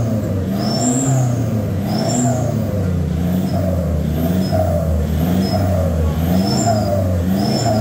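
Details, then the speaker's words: VNT turbo diesel revving: rough metallic clashing rattle over the exhaust drone, because the old tailpipe's packing was burnt out; the tailpipe is replaced with a 3-inch one. "Jadi Suaranya kayak ada besi beradu guys"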